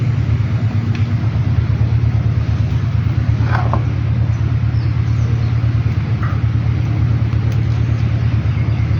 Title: toyota istima engine knocking problem balancer gear #automobile #mechanic